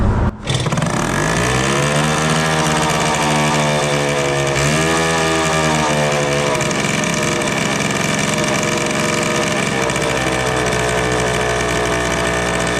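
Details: 1974 Indian ME100 two-stroke barn-find motorcycle, long sitting, just kick-started after cleanup: buzz climbs and holds a steady raised pitch without settling; idling too high.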